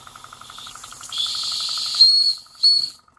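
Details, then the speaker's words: Georges Carette steam engine from about 1895, driving 1950s Fleischmann accessories such as a stamping press through its transmission: fast, even little chuffs under heavy hissing steam bursts, sounding laboured because the boiler had too much water. "You can hear the steam engine working harder. I think I can. I think I can. I think I can. I had too much water in it."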